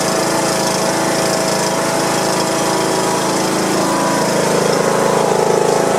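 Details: John Deere lawn tractor Briggs & Stratton single-cylinder engine after replacing a broken push rod and adjusting valve clearance, oil degreased off; even idle drone about four beats a second, no ticking or stumbling, running pretty good.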